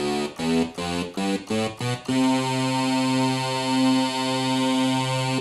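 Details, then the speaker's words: Sequential Circuits Prophet 5, about 35 years old, after oscillator repair for random out-of-tune notes: voices in unison give short chords then a steady, clean held note with no beating; oscillators still in tune after an hour. "sounds really good they haven't drifted apart after an hour now"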